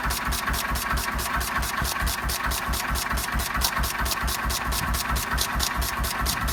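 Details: 1926/7 National 5V petrol-paraffin single-cylinder engine after new piston rings, running on petrol off load with Cox Atmos carburettor nearly shut: steady, even beat about two firing pulses a second, no misses or knocks; running cleanly.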